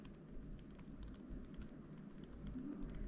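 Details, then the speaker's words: M1 MacBook Air return key after removal and refitting for a sticky key fix: soft, dull keystroke taps with no rattle or clack; key now sounds normal and quiet. "now i'm going to click the bottom okay and there we go now we have the return key and look it's quiet now"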